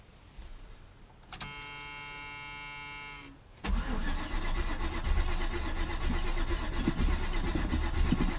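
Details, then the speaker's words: Chevy C10, sat about 5 years in a pasture, carburetor fuel filter not filling: steady tone, then starter churning about four beats a second, never fires; cranks but no start, owner suspects a bad fuel pump or old fuel. "couple times let's see how she turns over Oh bad you don't want to just crank it forever give it a break for a second or two we don't want to burn the starter out"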